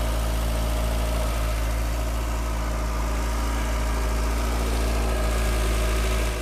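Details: 1985 VW Cabriolet revived after sitting about 8–10 years, smoking a lot after restart: steady, even idle with a smooth low beat, no misses or knocks; the engine is running healthy.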